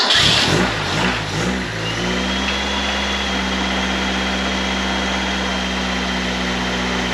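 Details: 1931 Ford Model A coupe hot rod, Ford 2.3L with Holley 2300 350 CFM carb, battery briefly charged: quick catch after rough turns, then steady even idle warming up; running well.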